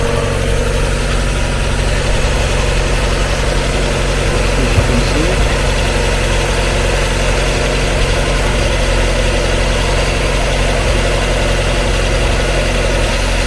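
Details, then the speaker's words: Used Mazda MX5 viewed for purchase, fitted with aftermarket coilovers, just after start-up: even, settled idle hum at constant speed with no knocking, wobble or rhythmic rub from the front pulley; a normal idle. "yeah I can see it's running through so I'm happy with that"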